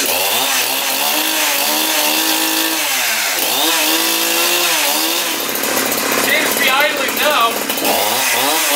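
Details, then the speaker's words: Husqvarna 372XP chainsaw after Walbro carburetor rebuild (previously stalled when warm instead of idling), L screw at 1 1/4: revs up and drops back cleanly, crisp pickup, even settling, no stumble; running healthy. "Well, there's no gas in this carburetor, so it'll probably take a while to start. Decompression tab's in, ignition is on. Fire it up."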